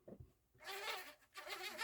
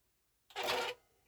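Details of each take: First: Marantz CD-63 mkII with Philips transport: harsh insect-like buzzing in short bursts as the disc tray drives, from plastic gear teeth grinding together; tray had been stuck, not ejecting. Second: Marantz CD-63 mkII CD player after serviced tray mechanism: short, smooth whir of the drawer about half a second with a faint knock at end of travel; quieter than before service. Normal disc tray operation.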